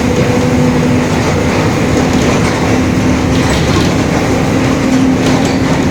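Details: 2021 Marcopolo Torino S bus on Mercedes-Benz OF-1721 Bluetec 5 chassis, extended, urban intercity service: steady low hum over road rumble while cruising, a growling rear differential.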